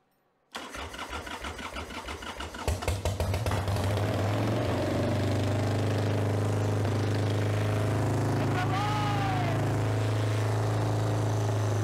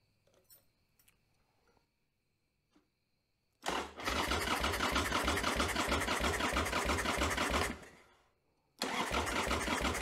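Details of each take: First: 1995 Harley-Davidson Sportster Evo V-twin after owner's top-end rebuild (new front cylinder parts, Cometic gaskets), battery charged after 7–8 months sitting, carburetor dry: cranks and catches within a second, settles into steady even lumpy idle, no knocks; healthy start. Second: 1995 Harley-Davidson Sportster Evo engine after top-end rebuild, first start attempt, battery unused 7–8 months on charger, carburetor bowl possibly empty: two slow even cranking bursts about three beats a second, never fires; slow cranking, no start.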